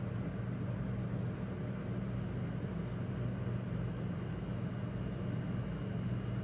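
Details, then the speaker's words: Rheem hybrid heat-pump water heater: steady even low hum like a refrigerator, no knocks or rattles; normal compressor running. "it's running now you can hear it come on it sounds like a refrigerator or a freezer if you're standing next to it it's not extremely noisy"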